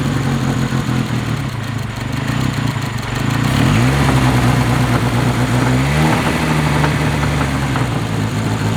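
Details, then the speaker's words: Honda KRZ engine after resetting cam timing to top dead center marks and fixing a leak: steady idle with a brief rev blip dropping back cleanly; normal idle. "we've already planned on taking her to it that actual tear but as you can hear see Idols now which is great part of that was making sure we set the timing over there which is one thing you always want to do"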